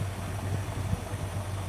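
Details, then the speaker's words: Engine with six-pack (multiple carburetors) and quiet mufflers at idle just after choke off: low, even burble, steady beat, no ticks or knocks; charging system and cooling checked OK; normal smooth idle. "Listen to the idle. There she is. Is that smooth or what? Hey? Does that sound like a 6-pack to you? Very quiet, doesn't it? Quiet mufflers too on top of that."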